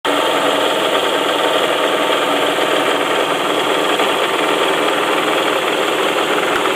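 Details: 2004 Saab 9-5 Arc wagon, automatic, 114k miles, Mobil 1 oil changes, at idle: a faint rapid knock over the engine note that dies down at higher rpm and with HVAC off, no oil leak or SES light; owner suspects a loose rod bearing near the oil pan.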